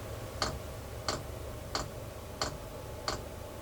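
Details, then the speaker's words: Chinese diesel heater after replacing noisy worn ball bearings, about 30 seconds after switch-on, fuel line just refitted; crisp, evenly spaced dosing pump ticks about 1.5 per second over a faint hum. Normal fuel pump pulsing. "all right everything's going good so far uh turned it on about 30 seconds later you can hear the fuel pump starting to"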